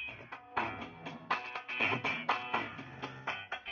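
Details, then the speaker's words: TDA2003 mono mini amplifier kit after component modification (formerly hoarse at full volume): music at full volume with sharp drums and clear guitar, no crackle or breakup; output stays clean. "Tapi ini kalau kondisi full, kita fullin masih oke ya teman-teman, masih bersih."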